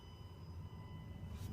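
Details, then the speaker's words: New Tesla Model X Plaid parked in a garage, no engine, faint steady high-pitched electrical buzz heard outside the car whether on, off or charging; owner suspects the car staying awake, tests with Sentry mode off. "inside the car because of the Fantastic soundproofing you can't hear it while driving it if you really pay attention maybe sometimes you can hear it but if you step out you can clearly hear it inside the garage"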